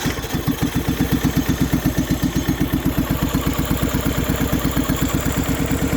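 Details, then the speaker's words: MTD Yardman mower twin on its first start in years, after a valve adjustment, a new starter and with old fuel, choke and booster pack: quick, thin, lumpy popping exhaust, running on only one cylinder because a spark plug wire was left disconnected. "Noticed one issue. I forgot to hook up the spark plug wire right here. It was actually only running on one cylinder, so that actually wasn't bad for one cylinder."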